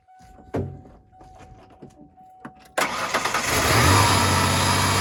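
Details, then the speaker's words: 1994 Ford Ranger just after replacing the idle air control valve: weak whine and clicks, then fires into a smooth fast idle near 1500 rpm dropping to about 1000; normal. "start and we have the high idle [Music] and it runs nice and smooth and high idle and it's idling just at 1500 rpms dropping down to a thousand slightly below a thousand"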